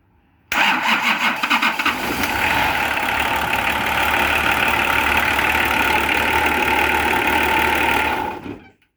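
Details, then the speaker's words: Nissan LD28 diesel in a 40 series Land Cruiser, not run for years, after glow plugs and powering the fuel cut-off solenoid: quick crank, catches cleanly and settles into a steady, even diesel clatter with no misfire; starts and idles fine. "Right, I did not expect that to start as easy as it did. I didn't actually expect it to start."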